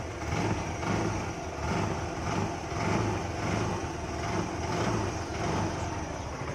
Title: Yamaha Ray scooty bike engine kam karne ke bad engine sound#bike #youtubeshorts #shortvideo